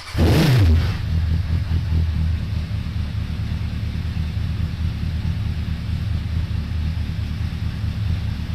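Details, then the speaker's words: 2002 Suzuki Bandit 1200S, jetted to stage three with pod filters, after fixing fuel overflow for a won't-stay-running complaint, not yet warmed up, mic moved further away: quick rev blip then deep, even four-cylinder idle, no misses; normal idle and revving. "so there you have it pretty good huh i haven't let it warm up a little bit"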